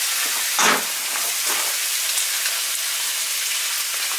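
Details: Basement boiler whose relief valve, replaced a year ago, blows as it heats; suspected bad expansion tank: constant hissing, splashing gush as the relief valve dumps water right away while filling, before even running.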